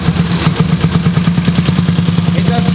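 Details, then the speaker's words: Honda CX motorcycle, clutch wire freshly replaced, misfiring on start-up: uneven lumpy pulsing with beats dropping out, one cylinder struggling to fire; owner suspects a carburetion issue, unconfirmed. "it is misfiring and you'll hear the misfire"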